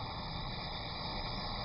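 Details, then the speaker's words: Glassblowing torch with the oxygen cranked up: a steady loud hiss and roaring rush with no rhythm. The excess oxygen gives an oxidizing flame, whose tip is more feathered than a neutral flame's. "and that is an oxidizing flame one of the characteristics of an oxidizing flame is the hissing that you have you hear that hissing sound"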